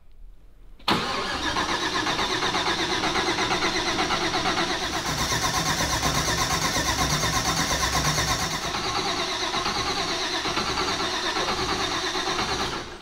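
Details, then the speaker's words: Mazda RX-7 FD, supercharged rotary, first start attempt on a new Fuel Tech FT550 standalone ECU: starter cranks steadily for about twelve seconds and it never fires. Injectors and fuel pump were checked, but no cam or crank sensor signal reaches the ECU. "All right, so there's something that it's not liking."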